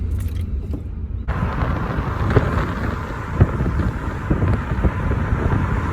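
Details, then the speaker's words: Test drive in a neighborhood after fixing a brake rattle. There is steady tire and road rumble as the car slows, with no thumps, squeaks, squeal, grind or clunk when braking; normal quiet braking. "About to hit the brakes. Let's see if we hear any thumps or squeaks."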